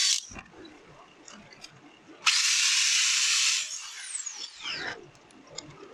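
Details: Bosch GWS 600 angle grinder after damaged bearing replacement: high, even whir for about 1.5 seconds, then smooth falling spin-down with no grinding or rattle; bearing noise fixed, normal running.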